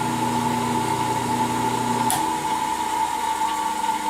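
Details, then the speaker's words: New 1.5 hp single-phase 115/230 V bench grinder, bolted to a piece of wood, running at a fairly slow RPM: a steady, even whine with no knocking or grinding. Motor spins freely and sounds healthy. "now it is kind of a slower RPM that's still not bad though you know like it's still ripping along pretty good there"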